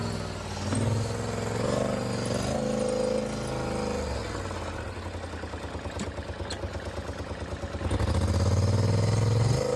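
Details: Polaris Sportsman ATV, previously misfiring and shutting off in high range, after new spark plugs and plug wires: idles with an even, steady beat, then revs smoothly up and settles without stumbling.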